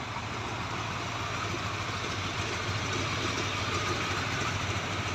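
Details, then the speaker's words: Used Yamaha R15 V3 motorcycle, idling for sale: steady, even idle at a constant pace with no knocks, misses or rattles; ignition normal, engine healthy. "[Tepuk tangan] pengapian normal"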